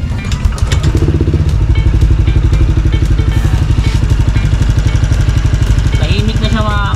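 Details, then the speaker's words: Honda Click 160 scooter at idle after replacing the cam chain tensioner (lifter) with a new one: steady, quiet idle with even low thumps, the earlier helicopter-like ticking from the top end now gone; healthy. "siya mga kamister, wala na yung nagitik kanina na parang tunog helicopter."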